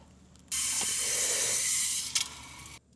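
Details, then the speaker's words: New waterline from a freshwater meter to a frost hydrant, meter opened to test connections: loud steady hiss about one and a half seconds, then quieter flow; only air in line, no leaks. "All right, meter's on. We've got no leaks here. Of course, there's just air in the line right now, but there's no air pushing out, so that's good."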